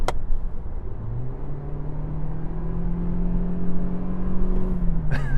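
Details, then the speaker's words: New Toyota Prius, 2.0L naturally aspirated four-cylinder with CVT, at full throttle while overtaking: the engine climbs to one steady droning note and holds it as speed builds; normal constant-rev CVT behaviour. "I guess you get used to it after a while, but I just wish it didn't do that. It's the only thing. It's like you're revving it when it's stationary."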